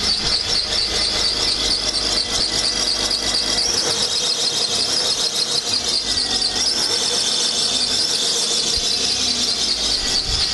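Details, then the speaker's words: Running engine: loud, piercing continuous serpentine belt squeal that sounds like a bad water pump; water spray stopped the noise, indicating a belt misalignment or tension issue rather than a bad pulley. "So most anybody might listen to that and go, oh man, you need a new water pump."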